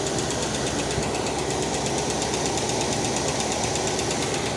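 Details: 1969 Cadillac Eldorado V8 with 21,000 original miles, first start after about 20 years with the fuel pump hooked up: steady, even idle with a busy mechanical clatter and no misses or stumbles; runs smoothly.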